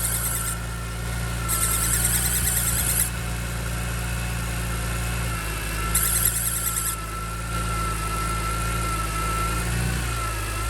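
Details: 2005 BMW E46 M3, started that morning, not driven: steady high squeal of constant pitch over smooth petrol idle; cause undiagnosed.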